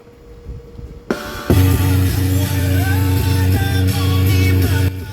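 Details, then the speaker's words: Jumbo Sub 238-BT AM/FM stereo after both TDA2030 amplifier ICs were replaced (one had burned, causing crackling and hiss): music plays cleanly with full bass, no crackle, popping or hiss. "Sounds like we have good audio."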